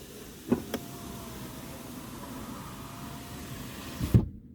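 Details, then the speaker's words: 2009 VW Touareg driver's power window after the squeaking regulator was replaced: a soft clunk, then a smooth, quiet motor hum for about 3.5 seconds and a firm stop. Normal window operation. "стеклоподьемники поменяли и теперь покажем как он работает нормальном состоянии тихо ушел вниз"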